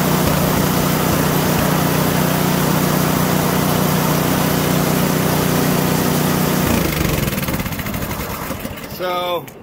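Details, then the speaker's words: PowerSmart DB7651-24 snowblower small engine, would not start after ethanol fuel gummed the carburetor; after ultrasonic carb cleaning and new intake gasket: smooth even hum at steady speed, then winds down cleanly at shutoff; running properly. "so what we've done now is we've cleaned the carburetor replaced the intake gasket and that solved that problem so this thing's all ready to go"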